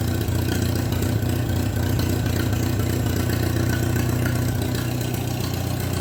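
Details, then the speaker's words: Minneapolis Moline BF tractor engine after an in-frame rebuild for heavy blow-by (suspected ring job), idling without muffler, possibly not yet warmed up: loud, even, low-pitched thrum at a steady slow beat with no knocking, a normal idle. "It's probably warmed up yet. That's what she sounds like without the exhaust."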